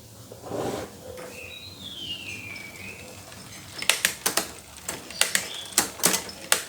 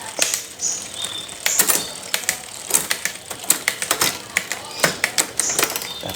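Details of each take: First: Bicycle rear derailleur shifting late and noisily: irregular sharp clicks and snaps as the chain jumps cogs. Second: Bicycle rear derailleur after adjusting the barrel adjuster to cure delayed, noisy shifts: crisp, quick clicks as the chain steps across the rear cogs, smooth with no significant delay or lingering noise.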